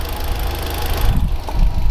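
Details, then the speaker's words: Audi S3 8L Mk1 with the AMK 210 engine and an aftermarket dump valve, warm idle after its first start following about 2.5 years sitting. Low, even idle rumble with no knocks, misses or hunting, and the smoking has stopped. Normal warm idle. "Sounds awesome with the... We have let it warmed up a bit. With the dump, the aftermarket dump valve. It stopped smoking as well. That's all good."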